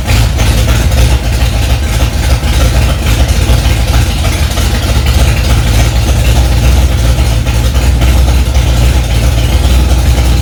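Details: Freshly rebuilt Ford 289 small-block V8 in a 1965 Mustang "Hack Job", first start after months of work: deep steady rumble at raised idle, even firing, no knocks or misses; normal fast idle.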